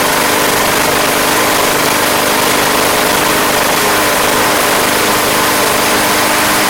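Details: Craftsman Platinum lawn mower, Briggs 190cc engine, running after a no-start fix with a replacement carburetor: steady, even run at working speed, no surging or hunting; gas was seen from the crankcase vent, yet it sounds healthy and settled.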